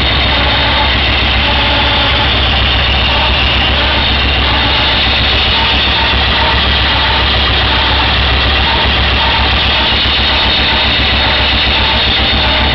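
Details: Raider motorcycle at idle, LED stealth rear lights fitted: thin constant whine above the engine beat; dealer blamed starter clutch, but burnt-out headlight left incomplete circuit so charging system whined; new headlight cured it.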